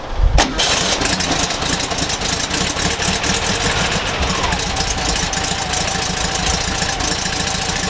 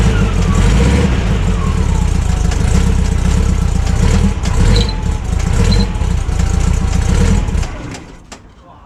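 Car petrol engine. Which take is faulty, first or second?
second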